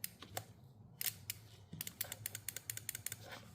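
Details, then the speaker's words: Mitsubishi Eclipse 2G GSX fuel pump relay bench-tested during a Walbro 255 pump rewire: 12 V on pins 85/86 closes 30 to 87 with sharp, crisp, consistent clicks, so the relay switches normally. "you can hear the relay clicking so you see this is plus and this is minus and now when I apply uh some power here uh this is closing the line between 30 and 87"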